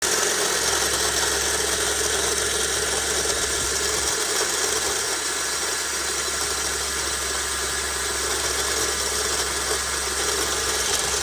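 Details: Suzuki Vitara 2007 1.6 VVT at steady idle: gritty, rasping hiss or grinding above the engine hum from the engine bay, owner suspects the AC pump; cause not confirmed.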